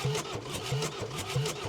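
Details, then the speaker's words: 2021 Ford Transit diesel non-runner cranked on the starter to expel fluid from the cylinders: slow, even cranking with a soft whoosh each turn and no compression; much water, plus some diesel, comes out. "that's a lot of water coming out of there mate a lot stop it there for a minute come and have a look Chris"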